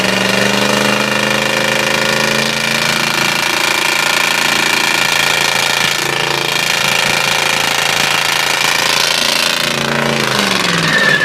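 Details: Ford 351 Windsor V8 with a spun bearing revved hard, with loud hammer-like knocking about four blows a second over a harsh roar, while coolant mist comes off the engine.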